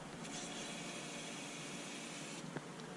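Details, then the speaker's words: Electric fuel pump on a Voyage with a FuelTech FT450 injection, actuated from the ECU test screen before first engine start to check the new harness: faint, steady high whir with a soft hiss; pump working normally. "bomba de combustível também por exemplo eu vou clicar aqui vamos ver se vai dar para escutar"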